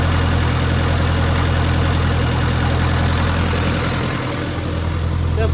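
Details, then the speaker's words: 1962 Land Rover Series 2A 2.25L diesel after timing set and valves properly adjusted: smoother steady low idle chug with much less smoke, but occasional random irregular puffs of unknown cause; truck still has very low power. "lot less smoke than before it's still got random hoofs like that which i'm not really sure what that is"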